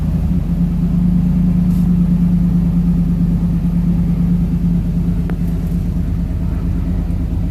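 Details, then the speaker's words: 1973 Ford Maverick restomod, fuel-injected 302 V8 with cold-air induction, just started without touching the gas. The fast idle eases down to a steady, even low rumble with no knocks or misses: normal idle settling. "It's fuel injected, so you don't have to touch the gas. And the idle will calm down. There it goes."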